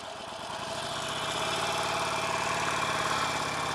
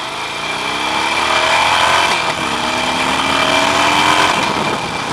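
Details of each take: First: Harley-Davidson Nightster 1200 ridden warm, under fully open throttle: a thin metallic rattle rides over the V-twin rumble and rises with revs. Not heard in regular acceleration, and four dealer visits have not found the cause. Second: Harley-Davidson Nightster 1200, engine still cool: clean rising and falling exhaust note as the throttle opens and closes, no rattle on top. Normal revving; the rattle usually appears only at wide-open throttle when warm.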